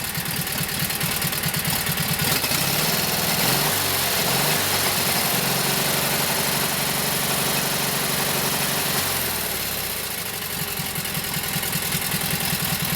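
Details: Kohler KT17 twin after governor rebuild, warming up: steady, fairly even beat with occasional rhythm wobbles; one cylinder has an odd miss, plug gap to be checked. Oil pressure 50; carburetor needs tweaking, max speed (about 3,000–3,600) still to set by tachometer.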